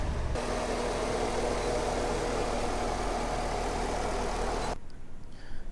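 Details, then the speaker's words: C6 Corvette V8 after water pump, belt and thermostat housing replacement, running to purge coolant through heater core: steady, even idle with smooth low rumble, no ticks, knocks or squeals, healthy until shut off. "It seems to be accepting a new water pump, so that's good. I'll run it a little bit more, try to get the heat running inside."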